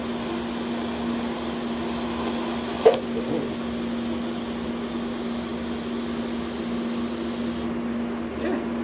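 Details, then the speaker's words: New Vulcan ProTig 205 TIG welder replacing 20-year-old Lincoln Square Wave 175 (gas control failed), welding with new torch setup: even electrical hum with soft fan hiss, no crackle or dropouts; arcing normally. "Working. It's welding."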